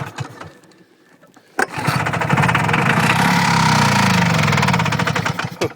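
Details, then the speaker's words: 1969 OMC Snow Cruiser snowmobile two-stroke, sat for years, first start after restoring spark, running on primer fuel not premix; quiet cranking then catches and runs raggedly with quick popping beat a few seconds before dying. "She's gonna run. Okay, I like that sound. Now I should be running a little bit of mix."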